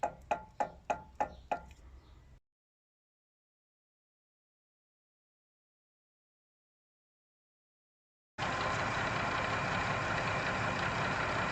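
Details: Massey Ferguson 3095 tractor PTO after replacing the bearings on the counter shaft above the PTO shaft: six quick knocks, a pause, then a steady, even drive hum with no rattle.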